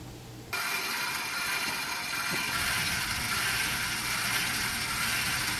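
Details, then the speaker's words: Stabilizer jack motor on a 2016 Forest River Wildwood 30kqbss travel trailer runs with a steady, even high whirring drone and no knocking or binding: normal. Stop when the motor slows; stabilizers only steady the RV and are not levelers, so don't overextend them. "Once you start hearing the motor slow down a little bit, that's right about the point you want to go ahead and stop."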